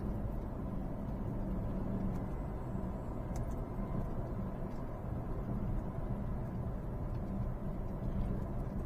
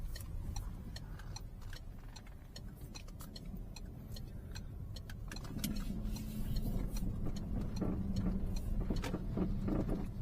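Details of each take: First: Peugeot 308 road test after repair: steady low road rumble with front suspension clunk gone; noise traced to stabilizer bar vertical end link, lower control arm bushing also failed, front shocks have no damping. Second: Peugeot 308 driving over small bumps: sharp, uneven clicks and light knocks over road rumble, persisting when braking; caused by worn sway bar end link; lower control arm bushing also failed, front shocks dead.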